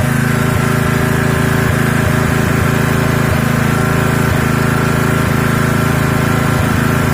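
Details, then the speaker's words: Honda GX160 single-cylinder engine, first run after petrol got into the oil and combustion chamber, run to clear leftover oil, camera facing the exhaust. Idle is steady and good, with occasional light clicks and a slightly rough internal note. "ini untuk stasionernya sudah bagus ya tapi ada timbul suara di dalam"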